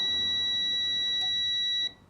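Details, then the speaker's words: 1964 Citroën 2CV AZAM, 6-volt, setting static ignition timing with ignition on: a multimeter's steady high tone holds for nearly two seconds then stops as the distributor box is moved; the points have just opened. "donc là il y a pas de bruit mais en principe que je dis pas de bêtises en déplaçant mon boîtier voyez il y a un bruit là"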